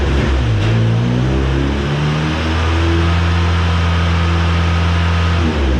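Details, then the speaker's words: Cheap old Ford Ranger after fuel system work, fuel pump switched on and off to control pressure: engine sags and recovers, nearly dying whenever pressure rose above zero psi; at least one stuck-open injector being unstuck. "you guys just watched me unstick some injectors at least one was stuck open i was in here watching that gauge every time i turned the pump on the engine wanted to die"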